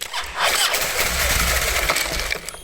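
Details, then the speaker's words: Harley FXD with primary cover off, cranking: a harsh, rasping grind for about two seconds once the starter drive gear is fully out. Sound seems to come from the starter clutch behind it; suspected, not confirmed. "え、スタータードライブギアが出きってから奥のクラッチの方で音が鳴ってるような気がしますね。"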